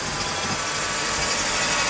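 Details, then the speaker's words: Mercedes M104 with ETA throttle-body wiring bare of insulation at the bend (suspected false sensor readings), cold start after sitting a day: steady, smooth cold idle under a loud airy hiss from the running secondary air pump. "Runs pretty smooth. Air pump is on right now, so it's a little louder."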